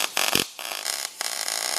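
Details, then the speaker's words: Beginner MIG welding while bracing for stability: a steady crackling sizzle like frying bacon, with short pauses between runs. It is judged good enough to pass structural work, though it could use a bit more gas. "Freaking great. That is actually really good. If you welded like that on structural, you'd pass."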